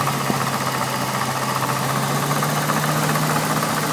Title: N62B48 "clicking" noise (failed water pump)